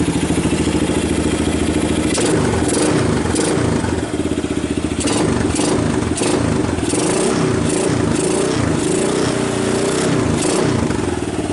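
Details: 1990 Kawasaki Bayou 220 single-cylinder junkyard ATV, carb replaced, recoil starter rebuilt, good compression, after cold start on choke: steady idle thump with some throttle blips, even firing, charging the battery, a little smoke; normal idle.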